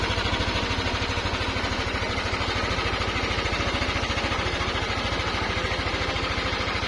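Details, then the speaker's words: Yamaha NMAX 155 after repair at a Yamaha service center: quick even single-cylinder idle with no whirring "helicopter" drone; the earlier excessive noise is gone and the engine sounds healthy. "so nawala na po yung tunog helicopter ng ating motor kakadwa"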